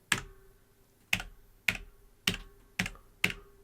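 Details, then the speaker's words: New Logitech G413 Carbon mechanical keyboard being typed on: separate sharp key clacks, each leaving a faint metallic ring. This is spring ping in the switches, not body resonance; lubing is considered as a possible fix. "you can hear the spring i wonder if it's i thought maybe it was the body resonating but it's not"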